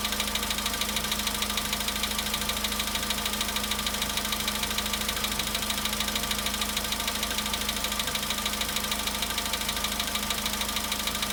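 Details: VW Polo Sedan at 93,000 km, cold-start idle: a steady, even tapping knock about twice a second over the engine note; its source is not pinned down and the cause is suspected, not confirmed.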